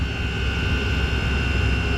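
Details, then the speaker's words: Chinese diesel air heater running at 204 in Alpine (high-altitude) mode with a rag completely blocking the air inlet: constant low combustion roar over steady fan whine, no pulsing or popping; nice steady, healthy burn. "it's a nice steady burn how hot is the exhaust"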